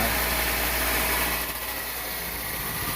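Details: 2000 Toyota Celica after replacing exhaust manifold and flange gaskets for a small manifold leak (P0171 lean code), first start, anti-seize burning off: steady even idle hum, no puffing or ticking at manifold; normal idle.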